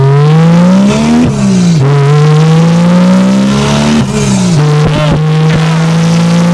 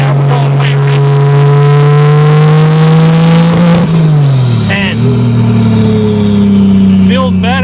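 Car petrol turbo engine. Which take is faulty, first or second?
second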